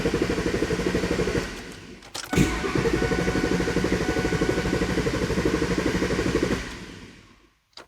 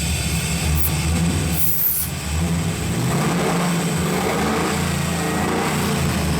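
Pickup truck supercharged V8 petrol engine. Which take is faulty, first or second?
first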